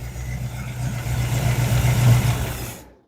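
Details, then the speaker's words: Square-body Chevy C10 V8 sitting for years, first start after Marvel Mystery Oil in cylinders, new plugs and new carburetor: deep even idle rumble, steady beat, smoking, no knock or tapping, then shuts off; normal idle. "Okay, so we know it's running, and it's smoking to be damned. But that's to be, I don't know anything about this motor. All I know is it's been sitting for years, okay?"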